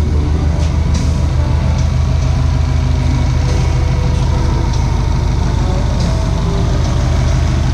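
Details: Engine with rebuilt short block, flat-top pistons and rebuilt factory heads on base map, already warmed up: deep, steady rumble at settled idle, even firing, no knocks or ticks; rebuilt engine idles healthily.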